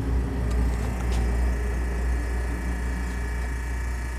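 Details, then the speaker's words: Antique GE Monitor Top DR-1 refrigerator after repair, high side about 104-105 psi, float warm, refrigerant heard boiling, evaporator getting ice cold; steady, low, even hum, no knocks or rattles; compressor running healthily. "Float's warm. I hear refrigerant boiling. This is definitely getting ice cold."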